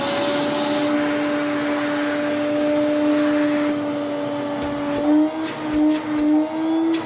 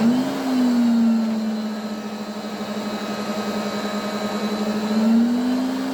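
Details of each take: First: Restored 1980s Electrolux 350 cylinder vacuum: steady, even motor hum with a clean high whine, then pitch and volume fall smoothly as it winds down; healthy motor. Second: 1980s Electrolux 350E cylinder vacuum with a worn, poor-sounding motor, run from minimum up to boost: whine rises with speed over a rough, uneven hum, grumbling on switch-off. It improves somewhat with use.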